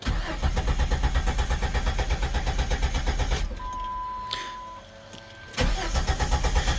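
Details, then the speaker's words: 2001 Jeep Grand Cherokee Limited 4.0L cranking with fuel pump fuse (20A, #24) pulled to depressurize before fuel pump module replacement, low on fuel, pump suspected weak: steady cranking about three turns a second, no catch, pause, more cranking; no start. "not getting much, so hopefully, I think my fuel pump was getting kind of weak anyways."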